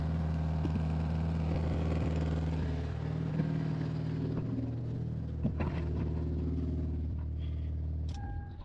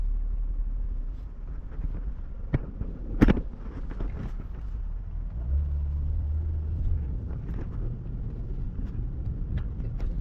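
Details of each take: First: Mazda RX8 rotary idling after transmission service, loose joint retightened; steady, even low burble, no longer the earlier loose sound, but split gasket still leaking oil underneath; leaking split gasket after loose joint retightened. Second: Truck driving after retightening a loose joint with split gasket; steady, even low rumble, no stumbling or popping, earlier misfiring gone; smooth running engine.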